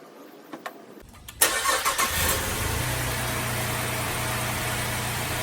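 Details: Holden VZ Adventra Alloytec V6 cranks, catches and settles into a rough, lumpy, stumbling idle with plastic covers off; coils unplugged one at a time, misfire traced to a failed number 5 coil pack.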